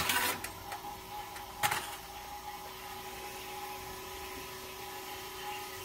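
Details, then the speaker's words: Rust-restored vintage GE Monitor Top refrigerator set to about medium, which has been able to freeze ice: a couple of clicks, then a quiet steady hum as the compressor starts and runs smoothly; normal startup. "so let's turn it on so we'll listen to the startup said i'm about medium this is the unit that runs so far and has been able to freeze ice"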